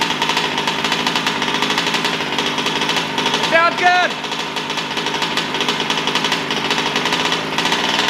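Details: New Taylor RC 35cc two-stroke in a DBXL 2.0 RC car with Bartolone Racing exhaust and air filter, first-start heat cycles before full throttle: buzzy, even part throttle, steady apart from one brief blip. Normal running during break-in.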